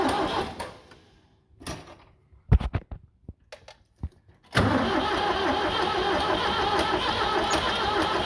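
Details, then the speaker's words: Tractor 7610 diesel, fuel on, jump pack plus charger on a fully charged battery: a few clicks and knocks, then steady cranking near 2.5 turns per second without firing; owner unsure if no compression, fuel seen at the lift pump. "okay I don't know what's going on I don't know if we have no compression or I mean it looks like it's getting shed to it"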